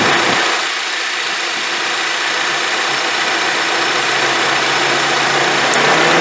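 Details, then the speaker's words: 2010 Honda CR-V with A/C not working, during diagnostics: even airy whoosh over a quiet idle, no cycling or rattle, condenser fan running after its connector was reconnected; condenser fan working normally. "yeah as you can hear the fan condenser on right now with the connector put back so okay we got power and another size of course the crap"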